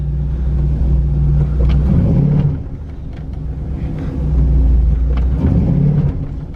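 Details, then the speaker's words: Pontiac Grand Prix with LS4 V8 whose transmission won't shift properly: the deep V8 rumble swells and sags while the car barely pulls and bogs. It is slightly better after a fix but still slow, not grabbing hard in drive or reverse, suggesting a slipping transmission. "it's a little bit better but it should I mean it should just yeah it's just so slow"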